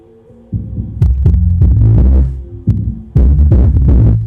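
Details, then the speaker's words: JBL PSW-D110 subwoofer after replacing defective main filter capacitor and other capacitors, playing music from MP3 player; deep clean bass thumps, no hum or buzz between them. Normal bass output, repaired. "yep it is producing base there we go it is repaired"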